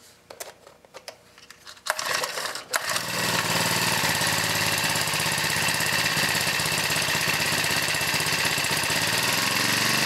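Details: Honda GX31 small engine after carburetor reinstallation and new fuel lines and fuel filter, choked and primed: a few pulls, then catches into a steady, even high-pitched buzz, no misses or surging; runs clean.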